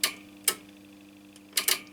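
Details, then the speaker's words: Transworld TW-500 linear HF amplifier being modified, PTT line grounded to key transmit: crisp dry clicks over faint hum as transmitter relay switches filter bank to dummy load; relay switching normally. "you hear the clicking which is our transmitter relay this one here and that will finally switch our filter bank to the deme load"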